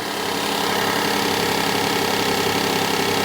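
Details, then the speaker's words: 2017 Kia Sedona 3.3L V6 replacement engine, after swap for spun rod bearing, first start with instant oil pressure: steady even idle hum, no knocking, no power steering pump whine; normal idle. "And I don't hear the power steering pump whining at all."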